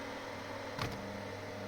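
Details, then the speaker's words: Inline bathroom extractor fan mounted rigidly with foam draught excluder over a wooden floor: low steady drone with one short knock, vibration humming through the pipe and floor it touches; fix planned by mounting it inside flexible tubing wrapped in foam. "But now you hear the sound, the humming sound because there is a mechanical contact between the fan and the pipe and the floor."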